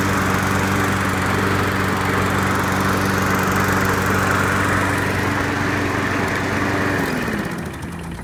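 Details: Craftsman Platinum EZ Walk lawn mower, 6.75 gross torque single-cylinder engine, after carburetor replacement: steady, even buzz at constant speed, no surging or stumbling, then winds down cleanly; healthy.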